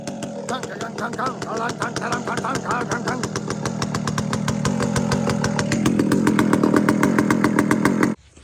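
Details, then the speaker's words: Chainsaw being tuned on the low jet (low-speed mixture), running a slow, even two-stroke burble at a super low idle that holds steady without hunting; a fat low jet would load up and stall. Normal low idle. "that is a super low idle that's why I say when you tune your loads yet you can't have a bunch of idol at it that's a nice loaf right there"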